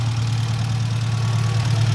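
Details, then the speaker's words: Ford Mk1 Escort panel van engine at warm idle, with temperature running higher than wanted: low, smooth, even rumble with no ticking or knocking and a little expected blow-by, far better than before, a normal idle. "it does have a little bit of blow-by, as expected. I didn't expect it to be completely nothing, but that is a lot better than what it was."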